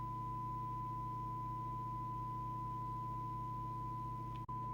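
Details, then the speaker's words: 38-year-old Cybernet Beta 2000 UK CB27/81 mobile CB radio, found in a skip and repaired after a short circuit, during alignment: receiving the test set at S9, a clean steady 1 kHz tone over low hum with one brief dropout; audio recovered properly. "So the first thing we're just going to do is put it back onto S9 and check the detector is set right, so we've got maximum recovered audio. If that's not done, it can sound garbled."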